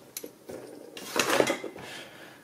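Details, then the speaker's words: Two-stroke outboard motor crankshaft bearing rocked by hand: loose metallic clinks from excessive play; the bearing is brinelled and dead after failed seals let in seawater. "le roulement ici, il est mort. Vous avez à contrôler ce qu'on appelle le brinelage."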